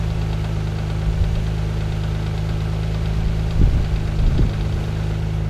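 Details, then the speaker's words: Mazda KL-DE 2.5 V6 swap nearly at operating temperature, idle screw turned a quarter turn at a time: steady low drone with revs surging and sagging, idle hunting around 1,000 rpm against a lower target. "a quarter of a turn there no difference but we hear the idol hunting around a bit much later"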